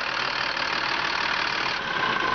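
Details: 2005 Freightliner M2 106 Business Class Expeditor diesel, hood open: even, steady clatter with no misses or surging; no blow-by at the dipstick tube. Normal idle.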